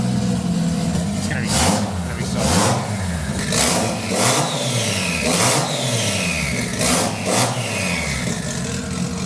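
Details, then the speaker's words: Nissan 240Z with GT-R RB26 engine, individual throttle bodies, drive-by-wire, after first start with idle throttle lowered from 20% to 5%: sharp open-pipe blips rise and fall crisply, dropping cleanly to idle; healthy free revving. "it sounds Snappy it's going to be so good dude"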